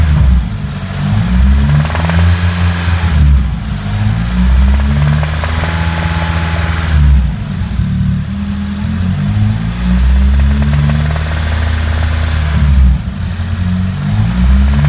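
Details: Nissan SR20DET turbocharged petrol engine revving up and down repeatedly: a deep knocking beneath the exhaust note; the owner suspects the lifters or a conrod.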